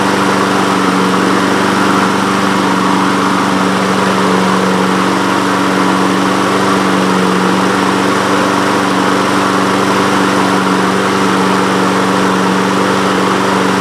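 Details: Honda HRN 216 lawn mower with GCV 170 engine, after carburetor jet and emulsion tube cleaning and fresh fuel, air filter off, starts on one pull and holds a steady, even drone with no misses or surging; normal running.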